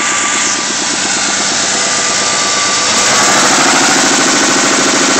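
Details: Mustang 3.2 L V6 just out of the shop with new heads: steady knocking around 200 per minute under a rough idle; owner suspects a spun bearing, unconfirmed.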